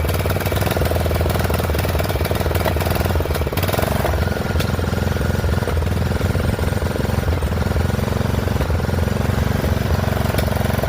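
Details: Poulan 12538 XT riding mower, 12.5 hp single-cylinder, 38-inch deck, hot: uneven lumpy beat with rough low thump; owner suspects intake and exhaust valves not set right, plans to readjust when cool; rough running, cause unconfirmed.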